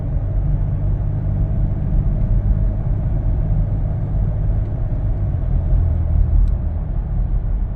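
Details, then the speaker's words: 2015 Lincoln Navigator, 3.5 L twin-turbo EcoBoost, 6R80 transmission, after Lubegard Instant Shudder Fixx, driving uphill under light load: smooth deep road rumble, no pulsing or judder; torque converter shudder gone. "and I didn't get it at all this hill right here does it pretty good too usually"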